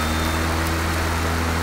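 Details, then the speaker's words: John Deere JS40 self-propelled mower converted to electric, 2.5 hp PM motor, LiFePO4 pack four years old: steady, even whoosh and hum from the blade whipping air, no knocks or rattles; running normally. "so don't let anybody tell you many electric lawn mowers are quiet like the cars are quiet electric lawn mowers you're basically spin or blade selector propeller and it's got to whip through the air and that's the noise you hear"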